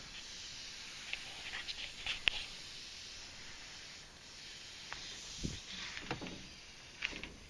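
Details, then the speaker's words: Faint steady high hiss of refrigerant escaping at a glued line coupling (not a soldered joint) on an HVAC system with no cooling or heat; gauges show the low side falling fast from about 300 while the high side holds. Refrigerant leak found. "all right guys we found our leak I don't know if you can hear try to get some better light here hear that"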